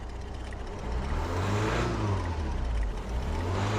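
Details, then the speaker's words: Diesel idling with an uneven, lumpy beat that rises and dips: running rough, no smoke from the exhaust, no engine light and no stored faults; injectors suspected but unconfirmed. "Don't know if that's picking up on the camera, but it's not running very well at all. There's no smoke or anything coming from the back."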